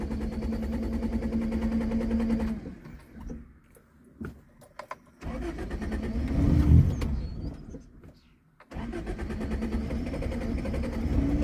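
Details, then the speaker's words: 1978 Honda Civic with full manual choke, not started for a while: the cold engine catches, stumbles and dies, then restarts after a couple of throttle pumps and settles into a lumpy idle. Hard cold starting and stalling, cause not confirmed. "And yeah, no, she sounds good, and you know, like a little cold, just a little cold. Oh, it just died. Hang on. Like I said, it hasn't been started for a little while, so."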